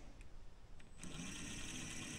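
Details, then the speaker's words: FMS Toyota Land Cruiser FJ40 RC crawler (Trail Rider 570) after replacing dog-bone drive shaft to cure chatter: smooth even motor whine, no clicking or chatter; drivetrain running normally. "listen that no clicking I like that don't you"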